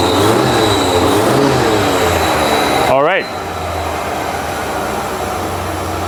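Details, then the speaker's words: 39-year-old Ford F150 after fixing a crank-no-start caused by two missing engine computer grounds: it blips and drops to a steady, even idle with a loud open-intake roar (air filter box off); normal idle. "sounds good it's idling well"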